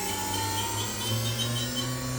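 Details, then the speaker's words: 2006 Haas VM3 CNC mill, 12k rpm CAT 40 spindle, not fully warmed up: smooth, quiet, steady high whine with even hum, no rumble or rattle, at 8,000 rpm; normal spindle running at speed. "it's not all the way warmed up, but you can hear it's quiet. There's 8,000."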